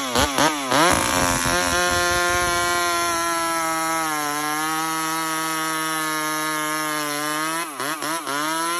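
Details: Homelite XL76 two-stroke chainsaw with stock chain revs up briefly, then settles into a steady, even buzzing idle before blipping again; idles cleanly.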